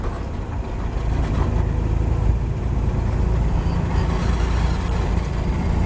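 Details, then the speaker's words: 1949 Chevy 3100 Stovebolt six with new Pertronix Flamethrower distributor, Igniter II module and Flamethrower II coil, cruising around its 40–45 mph sweet spot: steady even drone with no misses, surges or knocks; smooth and healthy. "just sounds like it's hitting every lick, and it's just smooth. If you listen to the engine, it'll tell you where it's happiest at."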